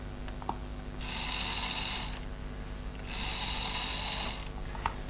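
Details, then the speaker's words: Lima non-motorised bogie converted to 28 SWG wire pickups on both wheel sets, battery applied to wheels: two short bursts of high, even whirr with no grinding or stalling; motor runs freely. "can hear the motor runs, and that's exactly what you want. It's a very, very easy conversion."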